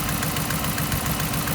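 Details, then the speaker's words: 2015 RAM 1500 5.7 HEMI after aftermarket header install, idling: steady V8 idle with fast even puffing tick on each firing pulse; exhaust leak at passenger-side header using the kit's included gasket, driver's side with Fel-Pro gasket quiet. "hey it's literally just pouring out all right so quick little side note driver's side is quiet as a mouse the passenger side is leaking pretty good"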